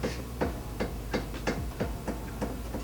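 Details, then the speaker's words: Tie rod end checked by rocking the wheel by hand: light metallic tinks about three a second, the joint end moving while the tie rod stays still; worn, loose tie rod end. "But for the most part, you can tell if it's bad by doing this. Okay, so hopefully you can audibly hear that tink noise."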